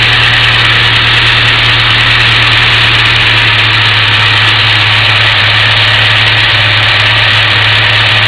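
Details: Petrol engine idling with vacuum line unplugged from VSV while troubleshooting fuel pressure regulator vacuum: steady low even hum that steps up slightly partway through as idle lifts with the line disconnected.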